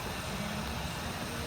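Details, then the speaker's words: 2013 Ford Fiesta 1.0 EcoBoost, 55,000 miles, just after wet timing belt replacement, not yet up to temperature: a quiet, even idle with a steady hum and no knocks, ticks or rattles, smooth like a sewing machine. Normal idle. "We're not even up to temperature and it is sounding perfect like a little singer sewing machine."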